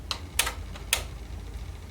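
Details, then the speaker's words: Sony TC-WR710 dual cassette deck, deck A on play before belt replacement: motor spins, three sharp clicks a fraction of a second apart over faint hum as it tries reverse then forward without playing; drive belts suspected degraded. "You can hear the motor spinning. So that's a good start. And it's trying to do the reversed. And now it's going back to forward."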